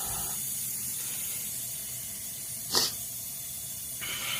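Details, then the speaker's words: 1986 Camaro (third gen) off the road 15 years, engine running during a vacuum-system smoke test: constant sharp hiss rising in bursts, air leaking at the back; likely the hooked-up test hose itself was leaking. "well we're leaking air right here something back there is leaking"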